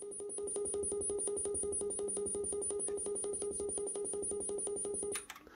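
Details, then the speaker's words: Repaired Sony TC-K611S three-head cassette deck playing back a recorded calibration test tone; steady mid-pitched tone at an even level with only a faint waver before stopping; records and plays cleanly, normal. "that's the tone that it's recording uh onto the tape listening back to it comparing it"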